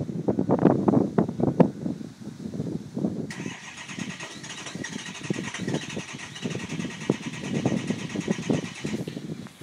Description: Truck won't fire.